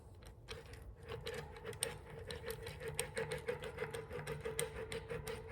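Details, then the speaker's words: Freshly rebuilt and repacked hub on a 1964 Schwinn Typhoon bicycle spinning: quick, light, even clicking about three per second with a faint steady ring and no grinding, a normal hub spin. "Sounds good."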